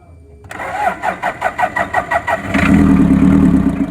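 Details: Toyota Hiace with 3L diesel: slow, uneven cranking chugs for about two seconds before it catches and settles into a rough idle. Hard starting.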